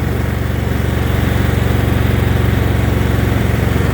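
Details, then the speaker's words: Riding mower with replacement Briggs & Stratton engine that failed to restart the day before, now running under light load: steady regular putter barely dipping; normal running. "putting a little bit of load on the engine breaker in but i don't know why it didn't start yesterday but i'm happy it started today"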